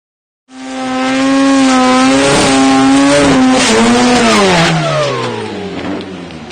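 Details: Garrett TA45 journal-bearing turbo, 2004: hard-revving engine breaks into violent bangs and clatter, then winds down as the turbine wheel breaks off the shaft and exits via the exhaust.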